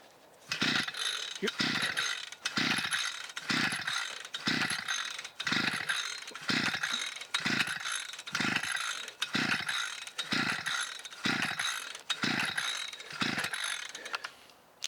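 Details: 52cc SGS strimmer, previously sent off and repaired for fuel lines, now loose. Repeated rope pulls give brief rasping spin-overs, but the engine never fires or catches. It won't start on pull-starting.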